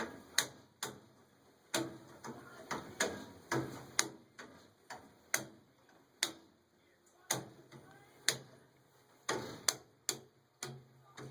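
A home furnace gives off sharp, uneven ticks, roughly one to two per second, over a faint low hum.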